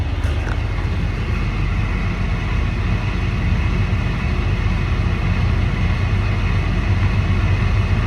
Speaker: all right I don't hear anything on this side let's go uh let's check the driver's side see if we hear anything on the driver's side